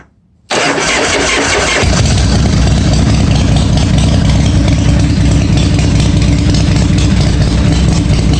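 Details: 1986 Harley-Davidson Softail V-twin after starter fix and filling the case with oil: starter cranks cleanly about a second, engages and disengages properly, engine catches and settles into steady idle with no rattle.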